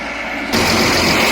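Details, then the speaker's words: Atlas 330.1 crane hydraulic pump after adding air supply to pressurize hydraulic tank (new filter alone didn't cure noise): steady even whir with no cavitation growl or whine; noise now acceptable, normal pump running. "Okay lang na yan. Yan lang yung ingay niya."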